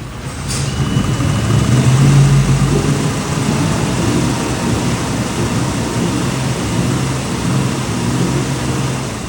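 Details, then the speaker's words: Volvo Penta/Crusader marine EFI engine with a water-cooled electric fuel pump, after clearing failed raw-water impeller fragments from the pump's cooling line: steady low rumble at idle and revving, with the previous fuel-pump squeal gone. "You notice there's no fuel pump noise whatsoever. It's quiet as a mouse."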